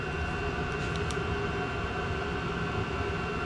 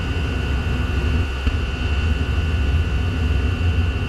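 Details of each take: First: Chinese diesel heater (Vevor) running after extra fuel added, at about 204°, in Alpine mode with a rag fully blocking the air inlet: even, unbroken roar with a steady whistle, no pulsing or coughing; burning cleanly and properly. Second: PT-5 Chinese diesel heater giving low temperatures and going out, restarted by choking: low, rough fluttering roar with steady high whistle, only keeps burning with air inlet partly covered; runs too lean.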